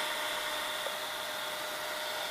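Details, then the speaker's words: Funai FHC-1200 4-head hi-fi VCR after replacing every belt and greasing the cam gear: even, steady hiss and a soft constant hum with no speed wobble or mechanical clatter, so tape playback is smooth. "Play. Now it's playing fine, with no issues. So yes, every belt has been replaced."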